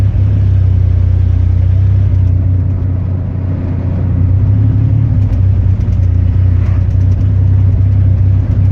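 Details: Chevy 4.3 V6 at idle: a deep, uneven rumble that stumbles irregularly instead of holding a smooth beat; an engine misfire.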